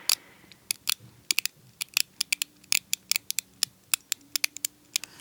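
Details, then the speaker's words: SK fine-tooth ratcheting screwdriver with low backdrag, turned close to the microphone: crisp, fine, irregular ticking like creaking bones or raindrops, light drag; normal healthy ratchet clicking. "the number of teeth I have no idea it's a lot if you listen to this thing I mean it's like bones creaking hear that"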